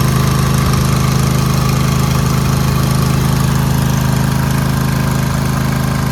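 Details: Craftsman DLT2000 mower, newly rebuilt, after a fuel leak from a misfitted carburetor bowl caused a fire; carburetor solenoid replaced. Steady, even single-cylinder drone with a smooth, regular beat and no misses or surging. Runs healthy and no longer leaks.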